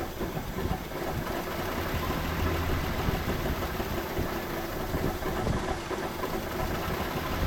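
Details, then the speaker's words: 1984 Chevrolet C10 straight six, 84k miles, last tagged 1993, run with the radiator removed: steady, even idle with a low rumble and no clear knocking or misses; healthy enough to rebuild. "So, the engine sounds good enough that I feel like I can put money into it."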